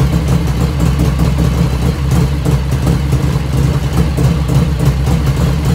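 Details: 1985 Harley FXR V-twin idling just after first start, still cold at about 49°F ambient, right after a float setting: deep, even loping idle with a steady rumble and no lifter tapping from the top end; normal idle.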